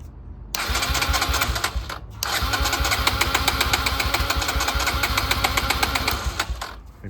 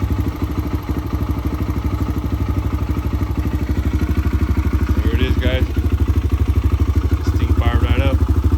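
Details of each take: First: 2009 Kawasaki KLX 140 dirt bike that sat about two years, after carburetor work: repeated uneven kick-start cranking, about four strokes a second, with no firing because the spark plug cap was not connected; it fired right up once plugged in. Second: 2009 Kawasaki KLX 140 single-cylinder dirt bike, sat about two years, running after fixing an unplugged spark plug: steady thumping at about three beats a second with a quick rev, crisp and even; runs well.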